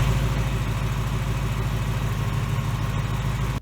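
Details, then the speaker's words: 2018 Mustang GT 5.0 Gen3 Coyote V8 treated with PowerUp friction reducer; smooth, even low rumble at idle with no BBQ or typewriter tick; healthy idle. "You know, my engine is not ticking."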